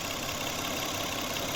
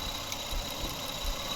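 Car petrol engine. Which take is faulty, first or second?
first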